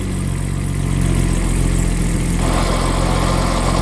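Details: New Borg and Beck 9.5 inch clutch in a '65 Jaguar E-Type: steady idle, then rough gritty grinding with sparks from the bell-housing as the clutch pedal goes down, caused by a coating on the throw-out bearing, not the pressure plate.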